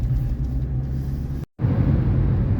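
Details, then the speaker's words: 2007 Chrysler PT Cruiser at 70 mph after both wheel bearings were replaced: only a steady low road rumble, with no airplane-like droning hum rising with speed. The wheel bearings are quiet. "Once again, we are doing 70 m an hour and there is no more airplane sound in my vehicle."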